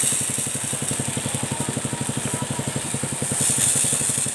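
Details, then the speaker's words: Motorcycle-wash pressure washer after replacing parts to fix weak water spray, at idle without the throttle opened. The small engine chugs evenly at about four pulses a second under a strong, steady hiss of spray; running fine. "Guys ini sudah selesai saya hidupkan mesinnya Ya seperti ini guys ya Coba di sini oke nah semburannya seperti ini guys ya"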